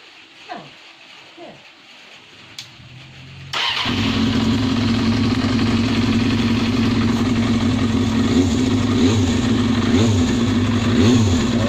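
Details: 1997 Kawasaki ZXR250 four-cylinder engine after cam chain tensioner service to remove knocking, starts and takes quick throttle blips, running smoothly with no knocking; normal running, no engine knock.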